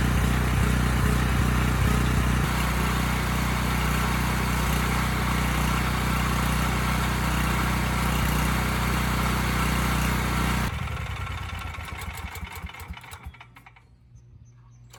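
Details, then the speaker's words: Briggs Vanguard on a Powermate 5000 W generator after carburetor cleaning (dirty emulsion tube found): steady drone with a faint rise and fall in speed before shutting off. Runs well but still hunting slightly. "okay well i think that did it it's running well now you know it's still hunting a bit"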